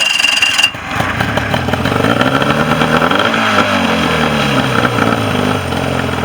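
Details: Mercury 40 two-cylinder outboard that came in with a no-start and would not idle, bottom cylinder not firing on balance check; after repair it revs up and settles cleanly, hitting on both cylinders, running properly.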